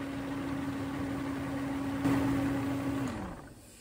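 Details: Mercedes W140 V12 M120 right after new air filters are fitted, start test: a smooth, even idle with a steady mid-pitched tone that holds, then winds down as the engine shuts off; sounds healthy.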